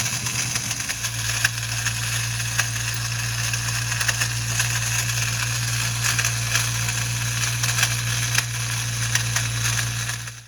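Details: 2001 Ford Mustang GT Bullitt, clutch cable removed to rule out throwout bearing: steady low drone with harsh crackling metallic grind after start; throwout bearing ruled out, starter gear staying engaged and grinding flywheel.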